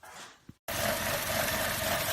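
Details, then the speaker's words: 2013 Chevy Cruze LT 1.4L turbo with codes P0171 and P1101, idling: rough idle with a loud steady hiss; vacuum leak from a failed PCV valve. "the engine is running it's running really rough at idle I can also hear a hissing sound"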